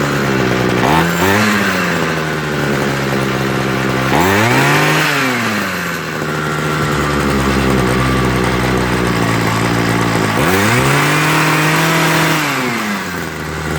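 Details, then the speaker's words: Homelite 26 cc two-stroke hedge trimmer after carburetor and fuel line service: buzzy engine rises and falls with throttle, then settles into a steady, more stable high idle once the needle valves are opened a bit more after warm-up on choke. "okay guys that sounds a little bit more stable see notice it changed and then i had to open up the needle valves a little bit more"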